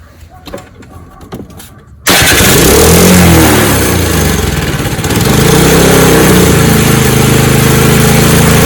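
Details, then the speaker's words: Snowblower after fuel-system and carburetor repair for not starting: the choke is set between open and closed with no priming since it already ran once; the engine catches and settles into a steady, even run with no misses; running normally. "I'm going to change the choke control and then you can hear the engine running I shouldn't have to prime it since I've already ran it once but here we go again"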